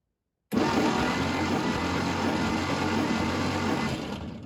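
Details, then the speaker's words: 1952 International Harvester L112 truck, not run in decades, previously near-zero compression, cranking for compression test after ATF syringed into each cylinder: steady, even cranking drone, no misses; cylinder 1 appears to read above 60 psi. "I'm going to do, a syringe full in each cylinder, and then crank it over a little bit, let that ATF kind of get in the system, and then crank it over and see what I got for compression."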